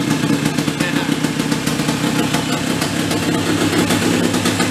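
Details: Small petrol engine on a vintage sprinkler blow-out air compressor that stalled when building pressure: steady even beat pulling the compressor, no stumbling or dying under load; normal running.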